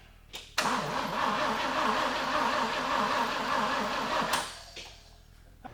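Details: 1950 Willys Jeepster with a Chevy 194 inline six and a Rochester B carburetor, on a nearly dead battery: slow, labouring cranking at about 2.5 beats per second, never firing.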